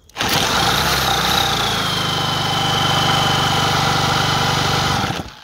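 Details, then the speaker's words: Dinli/Eton 90cc two-stroke quad, long unused, no carburetor, spun over with an electric drill and given spray: catches and buzzes raggedly about five seconds, then dies; brief firing, can't sustain running without a carburetor. "it's quite difficult to get it to run more than three seconds especially with a small c like this it just sucks it in it's done"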